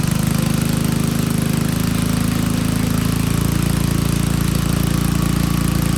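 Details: Old Troy-Bilt Pony rototiller on a temporary battery, running on fresh gas: steady low chugging at about two beats a second, even and unbroken; a healthy, settled idle.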